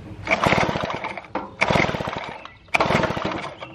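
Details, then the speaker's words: 1950s David Bradley chainsaw under restoration, magneto fitted with a new capacitor replacing the dead 1950 original: three pull-overs, each a quick burst of rattly compression chuffs fading with no firing; cranks but won't start. "with the new capacitor whenever I crank it over nothing happens"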